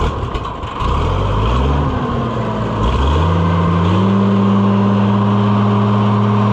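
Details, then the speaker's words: Oliver 1650/1655 tractor, six-cylinder (firing order 1-5-3-6-2-4), cold, after new Delco-style distributor swap: revs climb, sag and stutter when throttle snaps wide open, then settle steady; owner thinks it needs warming up, not distributor's fault. "I think it needs to warm up. Cuz see it's it's stumbling a little when you jam it wide open. And that's not the distributor's fault cuz you can sneak up on it and get it to go."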